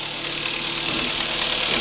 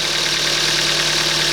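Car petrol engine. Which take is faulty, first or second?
first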